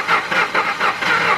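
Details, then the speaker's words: 1997-2002 Ford Expedition, cranks but won't start despite spark, injector pulse and about 35 psi fuel pressure: quick, even cranking at four to five pulses a second that never catches; crank sounded dry, cause unconfirmed. "but this engine crank really really kind of uh hurt like a dry start and this system has like three timing chains in it"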